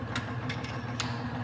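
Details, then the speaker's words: Bearing test rig with Husky Tough Stuff grease (no moly) under an extreme-pressure load of weight plates being added to the armature: smooth steady motor hum, a few faint ticks, no squeal; quiet running, whereas red Bentone grease with moly failed at three plates. "so again my Bentham grease with Molly failed after just three plates our Husky tough stuff grease is going strong with fifteen"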